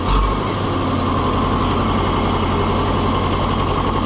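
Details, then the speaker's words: Oliver 550 tractor diesel on its test run after the injection pump was reinstalled: steady, even idle with a smooth low rumble, no knocks or misses; runs sweet, normal idle. "Boy, it's runs sweet. I just can't get over that."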